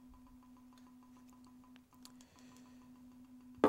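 Quiet steady hum with light, even ticks about eight per second that never drop out; the tag is being read normally.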